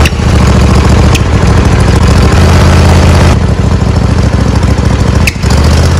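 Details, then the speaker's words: John Deere D140 mower, 22 hp Briggs & Stratton Intek: loud, uneven chugging that hunts at idle and backfires through the carburetor with sharp pops. Owner lists possible causes such as the carburetor, valves or intake gasket; a carburetor kit is planned. "today I got this d140 John Deere 22 horsepower motor and uh it hunts that idle backfires to the carburetor"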